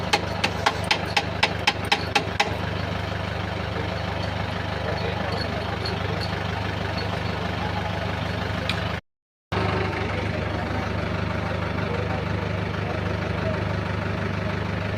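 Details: Mahindra Bolero BS6 diesel at 600 km, after a no-start with DER error codes P2BA7 and P204F and a choked part cleaned: a few sharp ticks at startup, then a steady, even diesel clatter with no hunting or misses, a healthy idle.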